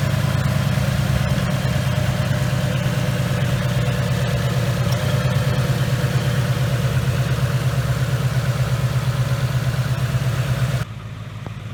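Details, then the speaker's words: 2019 Mustang GT Coyote V8 with a Whipple Stage 2 supercharger, checked for typewriter tick at idle: smooth, even low rumble with no tapping or ticking; a quiet, normal idle. "but let's listen to it and see what it sounds like guys this is the quietest gentry coyote I've heard yet"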